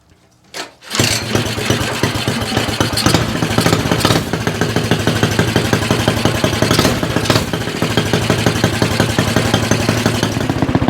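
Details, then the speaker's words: Stock 196cc Axis/Coleman mini bike engine with Mikuni VM22 carb, aftermarket exhaust and governor delete: starts after a quick crank and settles into a steady, even single-cylinder putter with crisp throttle; healthy and responsive. "So, we'll go ahead, crank it up, see how it sounds."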